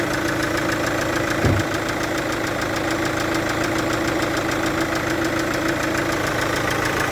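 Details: Chevrolet Captiva VCDI diesel idling with a fast, uneven ticking puff over the clatter, about three a second, from compression leaking past an injector seal.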